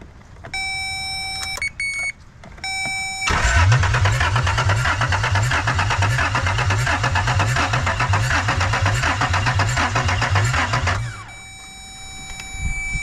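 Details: 1996 Toyota 4Runner bought not running, out in pouring rain after tightening the battery terminals; chimes, then about eight seconds of steady rhythmic cranking that never fires, crank no start.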